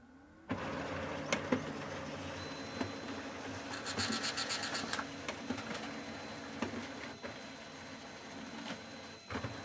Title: Brother LaserJet HL-2380DW - makes Knocking noise